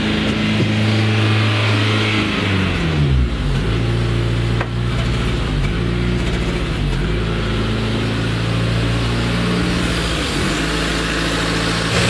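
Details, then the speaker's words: Renault Twingo petrol engine, warming up during an idle relearn procedure after valve-clearance, valve-seal and ignition work, restarts idling fast with a steady, elevated hum that dips briefly then settles high; air leak suspected, unconfirmed. "Je démarre. Ça redémarre à fond."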